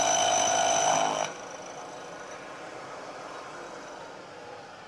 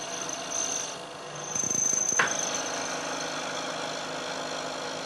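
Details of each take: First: Machining cut on a part cantilevered out of the vise jaws: a ringing, squealing chatter that grows as the cut nears the overhanging end, then drops away. The vibration gives a poor, rough surface finish. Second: Milling cut on a part damped by stacked sliding plates, similar depth to prior chattering cut; after brief clatter, settles into even steady hiss without ringing squeal, no chatter, better surface finish.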